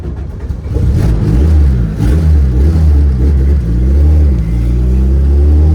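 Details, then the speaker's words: Honda Civic, built turbo engine on new tune, driving: revs stumble and surge unevenly under throttle instead of pulling cleanly; misfiring, owner suspects it is running too rich; cause unconfirmed. "Yeah, still misfiring it down. Oh my God, it's so twitchy. God, it's like undrivable, bro. Oh my God. And it's gonna shut off."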